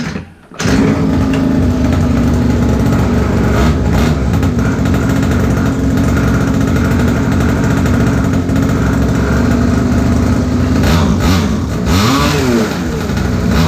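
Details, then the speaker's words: Old pocket bike that sat about 10 years, with a new carburetor, air filter and fuel filter, fresh fuel, a cleaned plug and confirmed spark after a magneto reset: the small single revs unevenly and sags as the throttle opens, then bogs out and shuts off. "See how it bogged out and shut off? See how it's bogging out? That's what I'm talking about."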